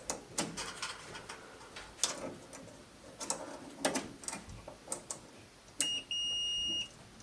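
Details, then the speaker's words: GE dryer that won't heat or start: multimeter on continuity across the start switch gives a sharp steady beep when the button is pressed; switch good, not the fault. "so if you can hear that um when i push the button in it does in fact beep so there is not a problem here with the switch"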